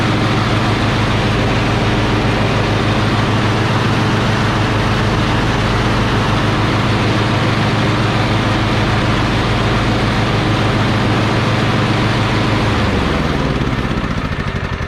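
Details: Lawn tractor run after replacing a mower deck spindle, pulley and belt: even, steady engine drone holding speed for about thirteen seconds, then winding down and shutting off cleanly; runs healthy.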